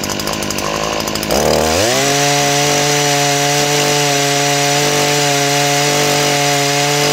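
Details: Small two-stroke engine that tested very low on a compression gauge (about 20 PSI or less); fires up and settles into a steady high buzz, clean even tone, no misses; normal running despite low compression reading.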